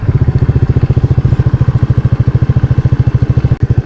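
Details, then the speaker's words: Maddog GY6 scooter with electric fuel pump replacing vacuum pump, 120 main jet, no tip switch: starts right up, crisp evenly spaced exhaust pulses, roughly thirteen a second, accelerating cleanly with no bogging; normal acceleration. "Yeah, no bogging issues at all. When I said my other bike ran too rich, it wasn't jetted like this one."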